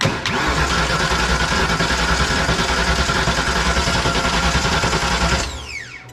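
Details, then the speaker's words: Fox-body Mustang 5.0 being revived, with open headers: steady fast cranking about 3.5 turns per second for five seconds that never fires; no fuel pump heard at key-on, and still no start with the pump jumped; crank, no start. "i don't know there's one no no i don't hear the pump coming on it's really yeah realizing that's right there was a dozen uh yeah one's ac one's fuel pump i heard it when you first yeah but with jumper the fuel pump it comes on but i still wouldn't start"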